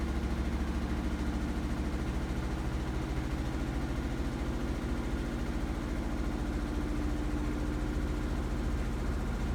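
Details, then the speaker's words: Samsung WF45R6100AW front-load washer on pedestal, 18 months old, violently shaking with deep rumble and fast buzzing rattle in high-speed spin; repairman found loose pedestal rivets; lower spin speed and balanced load help. "The vibration can be mitigated by lowering the spin speed to 2. More balanced load also helps."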